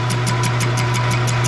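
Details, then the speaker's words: Lathe turning a tacked-on circle plate for a 1976 Cadillac Eldorado air-suspension bag mount: steady hum with a scraping burst about six times a second, once per turn, tool catching high spots of the out-of-round plate. "So you can see and hear the disruption. That's just imperfections in that circle plate. It's not completely round,"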